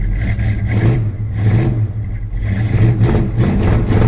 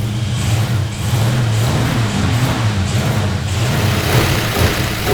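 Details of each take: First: 1972 Plymouth Road Runner 440 V8 with Flowmaster mufflers, after refitting the exhaust manifold flange: repeated rev blips with deep even exhaust note; only a faint tick remains, acceptable for the trip home. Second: 1972 Plymouth Road Runner 440 V8, four-speed, first run after mechanical rework: rumbling and revving with rapid uneven puffing tick rising with revs; massive exhaust leak on one side, cause not found, otherwise runs well.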